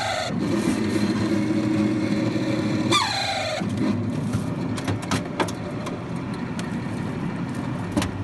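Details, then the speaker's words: Refrigerator fan motor starting after the fridge was unplugged for a long time: rough buzzing hum with a brief falling squeal from the fan motor lacking lubrication. "cuando prende la nevera el motor ventilador atiende a tener ese ruido ese ruido porque porque al no tener lubricación"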